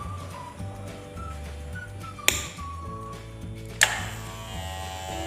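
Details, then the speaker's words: Electric hair clipper with a loud, steady buzzing hum and two sharp clicks; the hum is bothersome to customers, and a strong hum like this is usually blamed on the blade (suspected, not confirmed). "bunyi dengung seperti ini ini akan apa akan membikin apa namanya bisingnya ditelinga pelanggan kita"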